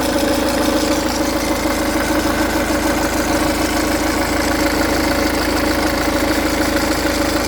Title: Ford dw10c timing chain rattle